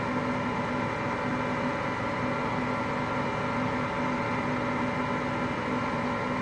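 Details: Hotpoint Aqualtis washing machine, bearings just started to go today: constant deep roar with a droning hum underneath while the drum turns; drum bearing rumble.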